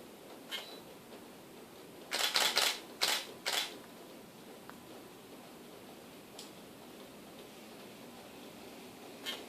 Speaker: Vou focar, ela vai fazer o barulho do Image Stabilizer.